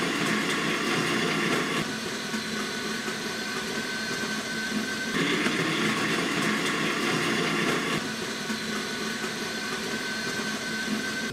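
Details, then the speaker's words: DeLonghi ECAM 22.110B Magnifica S after the burr grinder was replaced for odd noises and a reduce-coffee-quantity/too-fine-grind fault: quiet, even, steady whirring grind, no knocking or scraping. Normal grinder operation. "man hört dann gleich wenn er mal keine aufmerksamkeit von aufmerksam zuhört hat man gleich wie leise durch das neue mahlwerk ist und gleichmäßig das arbeitet"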